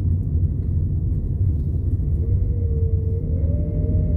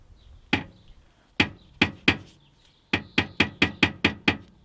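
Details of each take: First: Nissan Primera P12 on a road test through a roundabout after the repair: steady low road rumble, with no metallic banging or rattling from the rear. The exhaust noise is fixed. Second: Nissan Primera P12, rear noise after a 400-mile trip; engine off, exhaust muffler rocked by hand: loud metallic clunks in bursts. The heat shield is thought too quiet to be the cause; the muffler moves too much and hits the body.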